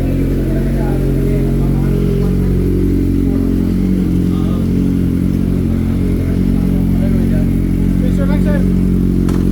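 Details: Kawasaki ZX-4RR after backfire removal: steady, even engine note held at speed with no pops or cracks from the exhaust; clean running without backfire.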